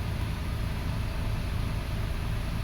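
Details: 2005 Toyota Passo on its original ECU after repairing the bad ground that starved the ignition coils of power and caused no-start; low, even idle rumble, no stumbles or uneven beats; normal idle.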